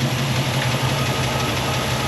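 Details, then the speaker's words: Chevy C10 pickup with a freshly rebuilt small-block, carbureted, warm idle: light steady tick over the rumble keeping time with rpm, heard on one side; suspected lifter or pushrod backed off (loose valve lash); otherwise runs smooth, no misfire. "it does sound like a lifter or push rod backed off maybe just a little bit"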